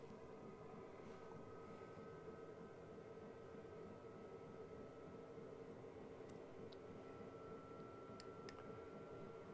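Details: Cheap Chinese eBay diesel heater in a caravan, warmed up with outlet too hot to touch, fan being stepped up from level three toward level six (highest), about 2.2 A at highest and about 1 A at lowest; quiet steady whir, no rattle or scraping; normal fan running.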